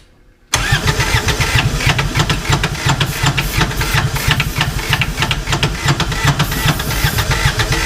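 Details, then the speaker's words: 2011 Kawasaki Mule 4010 diesel UTV, idle about two years, throttle held: long labouring, uneven slow crank that never catches, battery power dropping; starter suspected overheating. Slow cranking, no start. "well we're losing power better battery power that starter is probably getting too hot that's the problem"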